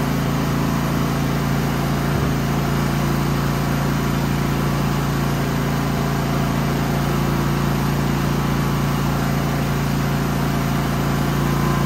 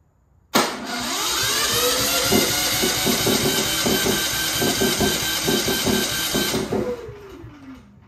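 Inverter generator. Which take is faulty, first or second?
second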